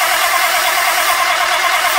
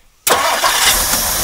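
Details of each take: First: 1959 Mercury Monterey, dormant about a decade, first start after long sitting: cranks briefly, catches and settles to an even idle with an uneven puffing tick; known exhaust leak still present, no smoke. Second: 1959 Mercury Monterey V8, revived after a decade asleep, with idle a bit high. Fairly warm but not fully at temperature: short crank, catches at once, settles to a steady even run with no stumble; healthy hot start.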